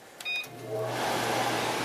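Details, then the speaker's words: Over-the-range microwave exhaust fan heard indoors after the outside vent was siliconed, foamed and installed: a few beeps, then a steady low hum and smooth airy rush as the fan spins up; sounds good, normal. "It sounds good from in here."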